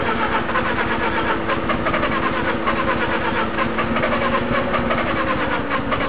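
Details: Rotary engine (FC) swapped into another car, ran fine before the swap, not flooded, thermo sensor fine: steady uneven cranking churn over six seconds with no catch; hard start, long cranking, cause unclear.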